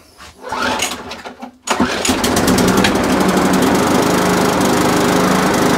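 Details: Briggs and Stratton push lawnmower, bought in a job lot last winter, that would not start: after priming the bulb and a pull-start bang it catches but drones with an uneven, hunting beat; throttle spring far out of place, carburetor suspected dirty, gasket and diaphragm planned.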